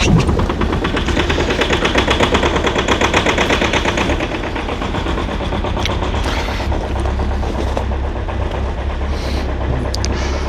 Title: Cold start of a diesel engine at -11°C with a very strong knocking sound #rybin